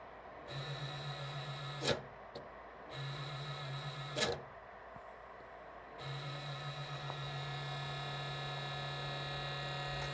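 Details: Creality K1 3D printer: a rough, gritty whirr cuts in and out over a steady hum from a worn fan bearing in the base; the noise goes away as the bearings warm up, and a replacement fan has been ordered.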